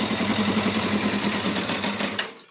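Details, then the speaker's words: Yamaha Thundercat 600 after long storage, carbs flooding, in neutral: lumpy four-cylinder idle with a soft, ragged puffing tick under the exhaust; owner suspects an exhaust blow, not confirmed. "there is a say it sounds like there's a blow from the exhaust as well so we'll have a look at that"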